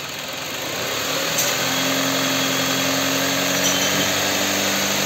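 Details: Kia K5 after rod bearing replacement from below without engine teardown, revved gently to about 4000 rpm: smooth climb and steady high rev with a clean, even note, no knocking, ticking or rattle.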